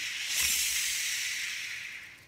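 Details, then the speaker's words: Shimano Exsence DC baitcasting reel after an old backlash: cast with about 30 g gives a quick airy spool hiss fading over two seconds with no electronic whine; DC brake sound missing though brakes still work, cause unknown. "as you see it's really hard to hear the dc sound if you watch one of my earlier videos you can hear the dc sound very easily"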